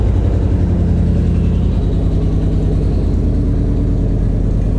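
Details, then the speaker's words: Toyota Land Cruiser 100 series 4.7-litre petrol V8, abandoned, roughly 200,000 mileage, first start with catalytic converter cut off: deep, uneven rumble that wavers and stumbles, heavy smoke from the cat; rough running. "that sounds wow smoke we've got smoke F me open this door it's rough it's running rough that sounds hilarious it's running though ladies and gents"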